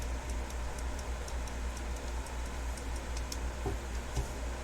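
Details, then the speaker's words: Westclox Big Ben alarm clock, cleaned and reassembled: crisp, even ticks at about two a second, steady beat with no stumbles; movement running healthy. "Happy with that. Boy, she's just a purring away now."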